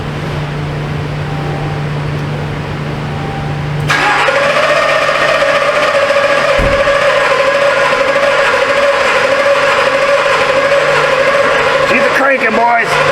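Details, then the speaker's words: 2021 Chevy Suburban 5.3L, cranks but no start after dying while driving: a few seconds of hum, then slow cranking at about three beats a second with an uneven rhythm, never firing. One cylinder is suspected low on compression; fuel delivery is being checked. "We learned that it sounds like it has a cylinder a little low on compression. We can hear that."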